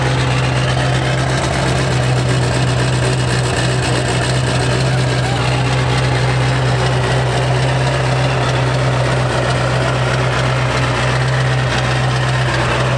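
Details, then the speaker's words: Accident-damaged 7.3 Powerstroke diesel idling after restart: steady low drone with an airy puffing hiss; exhaust cracked off the turbo V-band, leaking at the turbo outlet, sounding rich and funky. "So it's got a small exhaust leak, so it sounds kind of funky."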